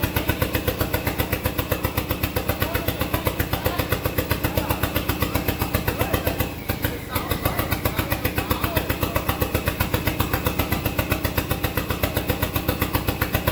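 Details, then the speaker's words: SRT-4 engine in a drift truck, first test start. Hard, lumpy pulses at about four a second with one brief dip as it hunts. Rough idle without a throttle position sensor, so idle can't be added. "TPS, so I can't add idle, but it's running. Doesn't have a throttle position sensor, so it doesn't know what it's going to."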